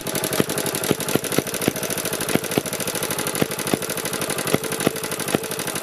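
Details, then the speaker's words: BSA 300 watt ex-military generator (Chore Horse) with open-circuit magneto coil secondary, after drying the plug and choke: uneven, sputtering firing with irregular sharp pops; ran about 30 seconds more, then coil failed completely, no spark; coil to be rewound. "well sort of not long after this the engine ran for another 30 seconds or so but then it was completely dead and there was no spark at all so the coil has now officially given up"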